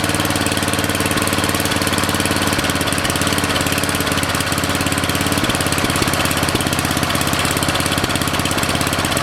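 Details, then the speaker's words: Briggs & Stratton 13.5 cast-iron-sleeve riding mower engine on bench, rerun with air filter back on after suspected oil in cylinder from engine tilted on its side; fast even beat holding steady speed, no hunting or knocks, smoke burning off; good running. "Yeah, that's running way better. That's exactly, I think, what it was. I mean, less and less smoke all the time. It's just burning it off."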